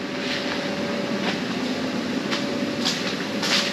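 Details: Inflation blower on an inflatable paint booth in a barn, after the booth lights were fitted: constant airy rush with a steady mid-pitched hum and a few light knocks in the background, running evenly.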